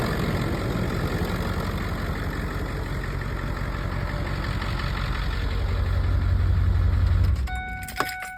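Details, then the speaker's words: Ford 7.3 Power Stroke diesel truck, low mileage, on a very warm day; starts right up, settles into steady idle with usual clatter and no major shakes or uneven beats, then shuts off; healthy. "As you can hear, it starts right up. Doesn't have any major shakes."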